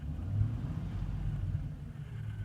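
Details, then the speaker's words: 2003 Chevy Trailblazer EXT 5.3L V8 after cleaning caked throttle body and MAF sensor: idle holds stable at about 700–800 rpm with electrical load added, low even rumble, no sag or hunting; previously it dropped and could stall, now normal idle under load. "keeping stable. Normally it would drop down and could conk out. Excellent. Okay, well, that pretty much solved the problem. The engine is idling"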